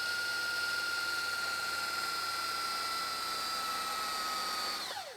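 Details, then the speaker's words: Panasonic PV-VS2841 S-VHS VCR (2003): fast rewind gives a clean high whir with no screech, then the pitch falls smoothly as it slows near the tape end to avoid snapping the tape; normal. "yeah so this spins so quickly as it gets near the end and what it does is so it doesn't snap the tape when it hits the end stop it slows way down"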